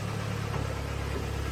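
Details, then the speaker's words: 2012 Hyundai ix35 G4KD, AWD automatic, 202,000 km: heavy, deep idle with a fast steady knock throughout, piston slap from scored cylinders, at least two pistons badly scored. "Так вот, все можете слышать, задиры брякают."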